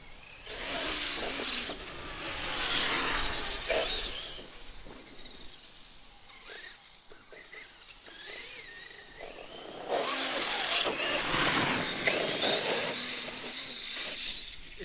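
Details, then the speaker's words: On the second test of a Traxxas X-Maxx fitted with an eBay PNW RC Madness belt/pulley drive, the motor whine rises in throttle bursts with a faint irregular clicking chatter. The owner suspects low belt tension causing the belt to skip. "I don't know if it's a clicking I don't know if that's not enough tension on the Belt I don't know exactly what the issue is you hear that it definitely shouldn't be doing that"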